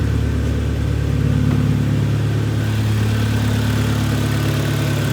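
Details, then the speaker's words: 2011 Kia Cerato 2.0 G4KD automatic, 184,000 km, after a rebuild with cylinder sleeving for piston knock and scored bores, heard from outside: steady, even, quiet idle with no knocking or ticking, a healthy engine. "работает ровно работает тихо Это самое главное"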